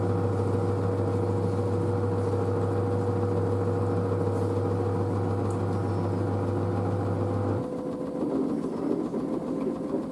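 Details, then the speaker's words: New washer dryer spinning up to 600 rpm after a pre-spin: a steady, even hum with a clean motor tone and no knocking or rumble. It is very quiet; the front panel flexes slightly but the machine stays stable. Normal spin cycle. "so it's so quiet 600 rpm"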